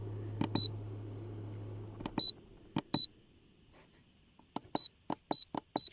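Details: Brass Monkey 40-litre fridge/freezer control panel: short high-pitched beeps, one per button press, irregular as the temperature is stepped down; normal keypad feedback.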